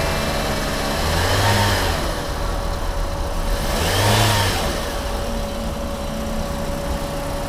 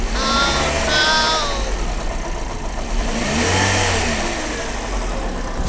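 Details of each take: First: Used Toyota Yaris, about 5–6 months after purchase, with a loud engine noise, after water pump replacement: two smooth throttle blips over a steady idle, no knocking or whine, now quiet; normal engine revving. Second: Used Toyota Yaris, about 5 months after purchase, knocking from the front of the engine after an upcountry drive; belt tensioner/pulley checked first, water pump found faulty and replaced, then silent: uneven knock over idle and revs; water pump knock.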